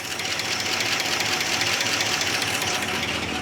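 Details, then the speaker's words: 1969 Barracuda running after sitting 27 years: fast, light, sharp ticking over the idle while oil pressure has built to mid-gauge; worn hydraulic lifters. "Very clattery. [Music] It's showing oil pressure though. Yeah, it built up oil pressure."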